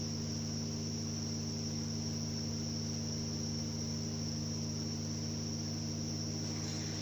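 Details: 2008 Subaru Outback 5MT with reduction gear: steady low drivetrain hum with a thin constant high whine on top, from a worn gearbox input bearing.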